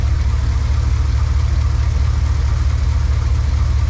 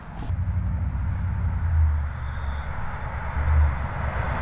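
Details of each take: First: High-mileage 21-year-old GMT800 Chevy Silverado/GMC Sierra 1500 V8 at idle after fitting used long-tube headers; deep, slightly uneven beat; owner suspects a bad spark plug boot; possible misfire at idle. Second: First start-up clip of a high-mileage 21-year-old GMT800 Chevy Silverado/GMC Sierra 1500 V8 after used long-tube header install: deep, even burble swelling as revs climb, no knocks or misses; normal idle and rev.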